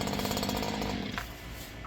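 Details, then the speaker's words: Stihl HL94 two-stroke hedge trimmer with a throttle-limiter wheel set low: buzz holds at one capped speed, then drops away, as the limiter stops it reaching full revs. "s they have the the throttle design where you can uh set the throttle where it won't rev up but just so high"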